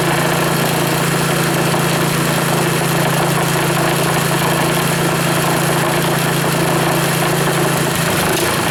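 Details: Reassembled Powerfist small engine idling on remaining fuel after gas shut off to run dry; steady even low hum, no surging or dropouts; rebuild fires up like new; normal idle.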